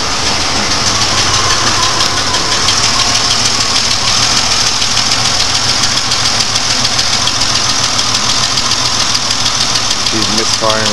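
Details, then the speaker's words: GM 3.4L V6 warmed up at idle, with the idle fluctuating and hunting; loud, fast ticking about three per second and a stumbling beat from cylinder 4, whose rocker arm threads let go, causing a misfire. "yeah that's that's what it sounds like guys and it's it's not a leftover or anything it's that stupid threads in the Rock on cuz they let go after a time"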